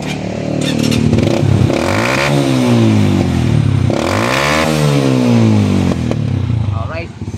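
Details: 125 Alpha motorcycle after its muffler was gutted: revs sweep up and fall with sharp pops on the overrun, a backfire; the fix is adjusting the idle air screw under the carburetor about three turns out, counterclockwise.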